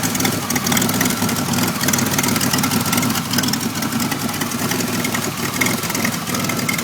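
Engine idling with an uneven, stumbling beat and wavering loudness rather than a steady hum; a rough idle of unknown cause.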